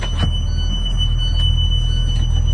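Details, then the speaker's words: School bus pre-trip inspection, with the emergency exit beeper heard from the front of the bus while the engine idles. A faint steady high tone over the low idling rumble: emergency exit alarm working, a safety item. "you need to let them know that you can hear your emergency beeper up here in the front of the bus also. That's a safety item,"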